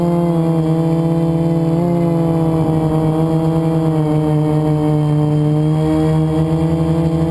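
Steady droning motor buzz, dipping slightly with throttle changes, with a gritty rough edge that points to a failing motor bearing.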